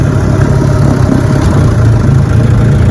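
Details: Fully restored 1958 Johnson 18 hp FD-12 outboard on lake test, about 22 mph on a 14 ft Feathercraft: steady, throaty low drone with an even beat, no misses or knocks; running cleanly and healthily.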